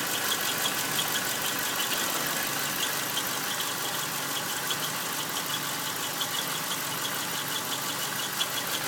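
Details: 2001 Subaru Outback EJ251 at idle: a faint high squeal chirping steadily from the transmission flange area. It is heard coasting and with the clutch pressed and stops instantly on throttle. Accessories, belts, tensioners and release bearing are ruled out; owner suspects crankshaft bearing damage.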